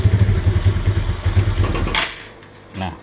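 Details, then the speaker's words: Suzuki Spin scooter starts but pops and stumbles when the throttle opens, then dies; sputtering and stalling, with the ground (mass) cables checked next as a common cause on this model. "mati. Nah seperti ini ya. Iya. Berebet-brebet terus mati ya."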